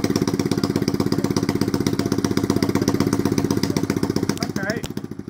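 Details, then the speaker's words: 1983 Honda C70 barn find, first start in about 26 years after draining old petrol and adding fresh fuel, compression good: small single putters at a steady, slightly uneven beat of about four firings a second, then dies away; normal idle. "that was genuinely the first kid had in 26 years hold on Honda well done"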